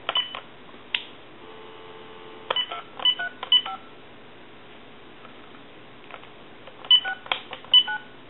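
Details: TA-1/PT military field telephone after repair and conversion, final checkout: crisp paired touch-tone bursts dialed in quick groups over a quiet line; normal DTMF dialing.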